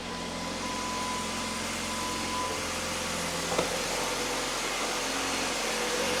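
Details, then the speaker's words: 2013 Jeep Patriot Limited 4WD after belt tensioner, idlers and alternator replacement, camera at the belt and accessory drive: smooth, steady idle with no whine, chirp or bearing rumble; the failing alternator bearing was the cause; normal idle. "Much better. So, it was the alternator all along. That is incredibly quiet compared to what it was."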